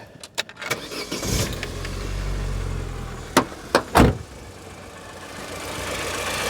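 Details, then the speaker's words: Vauxhall Corsa B 1.2 Merit, 60,000 miles, new exhaust back box, start in neutral: brief crank then quiet, even idle with faint light ticking of injectors firing; smooth healthy small petrol engine. "the r is so quiet you can hear the injector or injectors I don't know if it's multi or single but you can hear them firing away beautiful smooth Little Engine"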